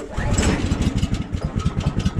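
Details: 14 hp Kohler engine on a Woodland Mills HM130 sawmill, pull start at -26 °C with choke on: fires in ragged uneven pulses and barely catches, stumbling; hard cold start, owner blames the cold.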